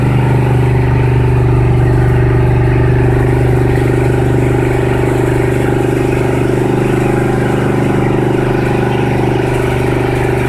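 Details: 1976 Ford F-350 V8 cold start after two years without starting; idle not yet set down, choke and PCV not yet hooked up; fast, steady idle with even low rumble that never settles; high idle.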